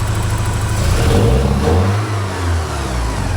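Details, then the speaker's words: 1984 Porsche 944 NA with wideband O2 sensor fitted: engine picks up briskly on a blip and settles cleanly, no stumble; acceleration much snappier, owner suspects idle air control valve leaning mixture; some white smoke after sitting. "acceleration is a lot better a lot snappier I think the idle air control valve is dumping air in leaning the mixture out or something"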